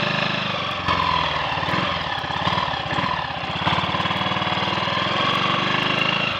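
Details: Triumph Sports Cub single-cylinder on the road after cleaning rust from the fuel tank and fitting a protruding-electrode spark plug: steady even exhaust beat with no misfire or cutting out; fine rust at the main jet was blamed.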